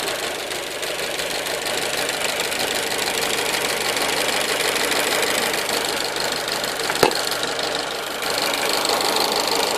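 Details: 1.4 T-Jet 155 engine running: sharp, uneven tapping, roughly three per second, over a steady engine note; knocking noise of unknown origin.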